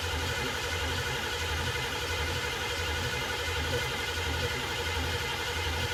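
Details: 1969 Ford Mustang 302 small-block V8 being started for the first time after restoration: steady, even starter churn at cranking speed with no firing or catching. Cranks but won't start.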